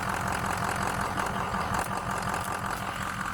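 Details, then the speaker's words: 2004 Ford F350 6.0 Powerstroke turbo diesel, about 173k miles, stock, freshly serviced, EGR deleted, heard under the hood at idle: steady, even low rumble, no knocks or misses, no blow-by; sounds healthy. "Sounds healthy. Yeah. Not a lot under the hood to show. Nothing bad."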